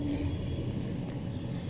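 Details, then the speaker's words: Newly built Barra-swap fuel system on first test, pump powered directly from battery leads, about 80 psi: steady low hum with a thin constant whine, no surging or stutter, pump running evenly at pressure; normal fuel pump operation. "All right, so, boy, listen to that pump. Good grief. Yeah, she's working."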